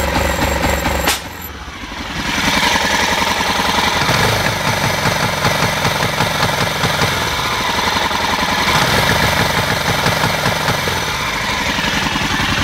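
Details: 1998 BMW F650 Funduro single-cylinder, hot engine, won't rev above 3000 rpm unless heated grips on highest setting: thump turns ragged and stumbles as revved instead of climbing cleanly; misfire, owner suspects wiring, carbs or fuel delivery.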